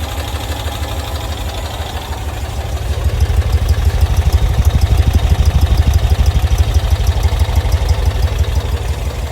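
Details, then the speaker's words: 1990s Cushman Truckster, not run in years: the small engine pops right off and settles into a steady even chug of about three beats a second with no knocks or misses; normal running. "Pops right off and runs. Just like that. This thing runs pretty good."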